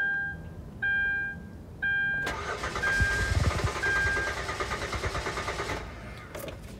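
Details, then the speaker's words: 2013 Hyundai Santa Fe V6 crank-no-start: door chimes, then about three seconds of steady starter cranking that never catches. It started on throttle body cleaner sprayed in the intake, pointing to a fuel-related issue. "Crank, no start. So what I went ahead and did, I took some of the some throttle body cleaner that we have around here, sprayed it in the intake, and it started right up. So now I know that I'm headed to a fuel related issue."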